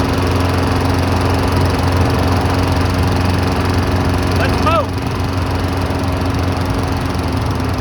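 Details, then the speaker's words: Cheap abandoned Briggs & Stratton walk-behind mower running in the cold: single-cylinder beat slightly uneven and hunting, not a steady drone; black drip from the muffler, owner suspects junk in the carburetor; rough running. "hmm dripping a little black stuff out of the muffler probably has junk in the carb give her a little shaky cheek"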